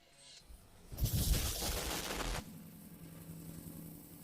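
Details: Toyota Supra 2JZ engine, heat plate between manifolds missing: harsh uneven popping and rasping on start-up settling into a rough, puffing idle; misfire plus exhaust leak at the collector-to-catalytic-converter joint gasket.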